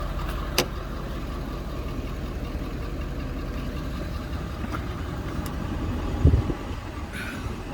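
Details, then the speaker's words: Ford F350 diesel after replacing a blown intercooler cold side pipe: deep steady idle with even low rumble, no knocks or misses; idling smoothly and healthy. "yeah oh yeah that sounds great"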